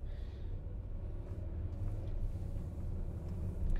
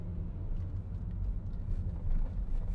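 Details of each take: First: 2011 Volkswagen Jetta with flashing check engine light: idling in park with uneven, lumpy, stumbling rumble, vibration worse on acceleration and at cruising speed; engine misfire. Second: 2011 Volkswagen Jetta accelerating while driving after misfire repair (codes P0300–P0305); low even rumble building smoothly with no stumbles, idles nicely, misfire fixed.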